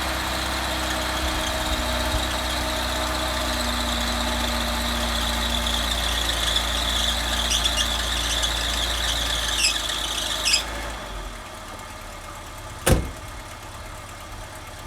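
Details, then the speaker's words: Cold morning start with the auto choke struggling: steady high squeal over the idle for about ten seconds, then fading; owner suspects a slipping hydraulic belt needing tightening, unconfirmed. "it also sounds like the hydraulic belt is slipping a bit probably needs tightening up but I don't think I've got the tools to do that so it goes away after a bit I'll be fine"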